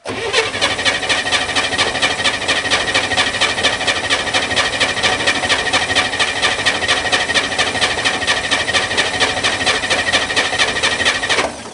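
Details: Corvair Spyder, cold start in the rain with an electric fuel pump: steady starter whirring about two beats a second for twelve seconds, never firing; cranks but won't start, fuel smell present, cause unconfirmed.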